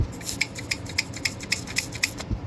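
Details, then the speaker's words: Lennox/Ducane furnace pressure switch chattering open and closed about four times a second over a low furnace hum; causes could be heat exchanger, drainage if 90% unit, bad switch or stuck diaphragm; switch being replaced. "the only thing that would cause this to open and close like this, besides the obvious heat exchanger issues, or if this is a 90% unit, drainage issues, a bad switch or a stuck diaphragm will cause the switch to rapidly."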